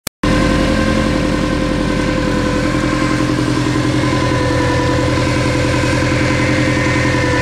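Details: Subaru Impreza GT engine running evenly with a thin steady whine from the front of the engine. Owner rules out alternator and power steering pump (different sound) and suspects the timing belt or a pulley.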